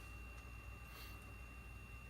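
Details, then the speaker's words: Haier 10.1 camper fridge after repair for not cooling and clicking, just turned on: faint steady freezer fan hum with thin constant tones, no ticking or scraping; fan running smoothly, now blowing genuinely cold air. "well it sounds like it's only just now gurgling to life like it was making the fridge buzz but now I hear like things moving"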